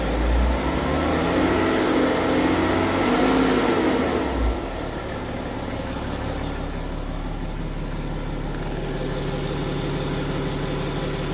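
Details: BMW F15 X5 with N57 diesel idling: steady clatter with a light rattle that settles after a brief rev; suspected timing chain noise, not confirmed.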